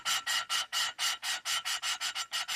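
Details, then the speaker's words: Small-block Chevy aluminum race-car head, valve being lapped into its seat with compound after bent valves were replaced: even back-and-forth rasping strokes, four or five a second, the coarse grind turned to a fine smooth hiss, meaning the seat is fully lapped. "See how kind of lightened up as far as the sound itself, as far as the coarse sounding. I don't know if I'm explaining that right, but anyways, that's about as far as you want to go with that."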